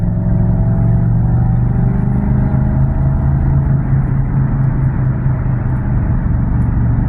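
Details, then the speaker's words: Car with exhaust leak and engine light on, earlier noted slight engine tick, driving: deep loud truck-like rumble with nothing metallic on top; exhaust leak letting engine sound through. "I love the way it sounds like this, I do. But he sounds good, you know what I mean?"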